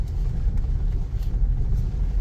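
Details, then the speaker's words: Second-hand Toyota Innova, final check before release, driving over a rough road listening underneath: only low road rumble, no knocks or clunks; suspension solid, bushings not yet loose. "Wala man lang kalampag. Ganda. Oh. Ibig sabihin, ang ganda pa ng pangilalim nito. Mga may higpit pa, hindi pa loose yung mga bushing."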